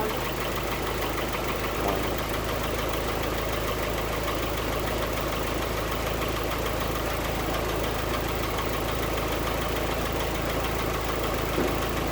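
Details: 1946 Willys CJ2A Agri-Jeep, original flathead four-cylinder Go-Devil engine on original 6-volt system, started after sitting a few weeks: low, steady idle with even loping beat, no knocks or misses; sounds healthy.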